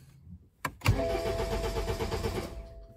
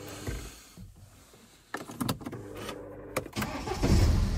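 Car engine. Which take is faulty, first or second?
first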